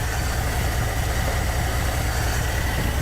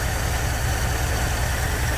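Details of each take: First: 1959 Dodge D-300 farm truck with a worn 318 V8, fires right up after sitting for months once a new solenoid and wiring fix are in; steady, even low thump at idle with no misses, knocks or squeals. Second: 1959 Dodge D-300 farm truck, old V8, sat for months, fires right up after a starter and solenoid replacement: heavy, lumpy, uneven low drumming at idle, tired and running rough ("totally blown up"); rough idle, cause unconfirmed.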